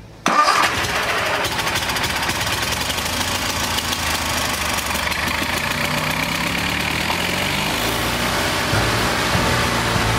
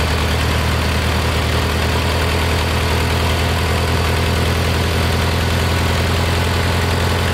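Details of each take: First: Kohler Magnum 20 engine, before carburetor adjustment, battery wearing down, started with carb spray help; catches with a burst then an uneven, lumpy beat struggling to settle; owner suspects a weak fuel pump; hard start. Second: Kohler Magnum 20 after a carburetor rebuild, mixture screw turned in from about 1.5 turns out. Steady low single-cylinder drone, fast even firing with no misses or surging. Normal idle.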